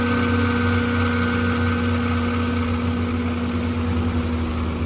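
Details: Liebert A/C condenser variable-speed single-phase fan motor: steady drone and rough rumble from bad bearings, attributed to heat from hot/dirty condenser and slow speeds; motor being replaced.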